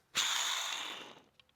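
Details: Toyota Camry serpentine belt idler/tensioner pulley, removed and spun by hand: harsh, gritty whirring rattle fading as it slows, unlike the silent new part; worn pulley bearing rattle.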